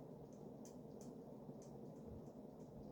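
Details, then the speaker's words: Early-80s Sears Emerson Turn of the Century 52" ceiling fan with K-55 stack motor, running on high: light crisp ticks about three per second over a quiet hum with motor whine. Loose motor nose. "And aside from that clicking from the nose, it's actually very silent."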